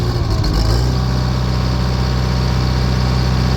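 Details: Bobcat E80 diesel excavator, hard to start and shuts down after starting, water-in-fuel indicator lit: catches after long cranking, settles to steady slightly uneven low idle; fuel starvation from water-contaminated fuel, fuel filters to be changed.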